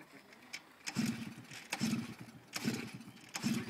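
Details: Puch moped that won't start: repeated kicks about once a second, each a short thrashing spin with no firing at all.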